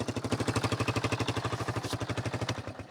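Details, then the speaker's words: 1995 Yamaha Wolverine 350 ATV running after fresh fuel: even single-cylinder thumping, no stumble or sputter; exhaust leak and rattling baffles noted; earlier no-start after backfire suspected from water in fuel. "the old y Wolverine 350 is running great now um no sputter at all and it's got the annoying exhaust leak in it Rattle and baffles back here but it's running good"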